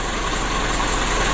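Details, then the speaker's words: Mitsubishi 120 PS Ragasa diesel, after injection pump repair, nozzle replacement and oil change for engine oil diluted with diesel fuel: smooth, even idle with a steady low rumble, no knocks or misses; normal idle. "kali ini kita perbaikan pada injeksi pump nya lalu novelnya dan penggantian oli ini sudah kita lakukan ini sudah hidup dan untuk mobil ini sudah siap tempur lagi"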